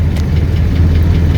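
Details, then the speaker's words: 1984 Chevrolet Caprice wagon, 305 V8 with Quadrajet, 700R4, about 121,000 original miles, idling warm after three-hour drive: steady low idle with a light quick tick keeping pace with the engine. Lifter tick. "but look at this ice cold air conditioning it's got a little lifter tick on 305 but that's all right"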